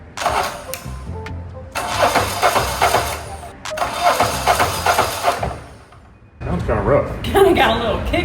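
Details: Diesel on a 1984 Peterbilt 359 build (onboard power source being added), cranked with jumper cables as ground: three rough cranking bursts with uneven chug and compression kick, never catches; no fuel reaching it yet.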